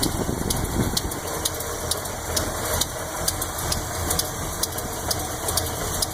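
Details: 400 Chevy, 10.5:1 compression, Lunati Voodoo 10120704 cam, Performer RPM heads, roller-tip rockers: light tick about twice a second over the V8 idle from even-bank lifters, faint at 900 rpm and pronounced at 500 rpm. Lifter adjustment checked twice; cause not found.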